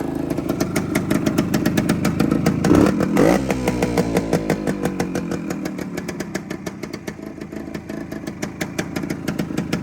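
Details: 1972 Suzuki TS185 two-stroke after new top end, walk-around: crisp, regular popping at steady idle after a short throttle blip, no rattles or misses; purring nicely, healthy.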